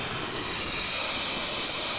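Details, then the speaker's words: 1987 Dodge Daytona electric conversion with a Warp 9 motor: steady, airy hiss with no rhythm over near silence, coming from the DC-DC converter, which has hissed since installation but still works. "So, anyway, that is the DC toDC converter noise. Got to love it. nice silent electric vehicle with weird hissing."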